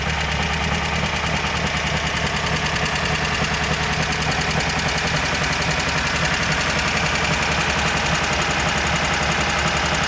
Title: VW Squareback engine knock.